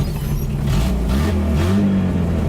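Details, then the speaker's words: Datsun 620 King Cab with under 43,400 miles and a four-cylinder engine with essentially no exhaust system fitted: deep, raw, loud unmuffled drone swelling with revs, rotary-like. Otherwise it runs and drives. "Another thing to mention that I forgot about is that the truck does not really have an exhaust on it currently. So it is loud. It sounds like it's got a rotary in it, but it's just a loud 4-cylinder with no exhaust."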